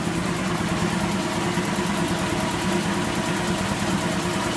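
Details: Kellogg American piston air compressor with pressurized oil system, electric motor, free-air test run building past 100 psi: steady, even pumping drone with no knocks, rattles or air leaks; running healthy.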